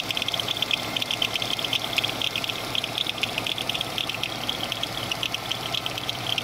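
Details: GM 3400 engine running: uneven, recurring high-pitched chirping squeal over a quiet engine from a bad/broken power steering pulley.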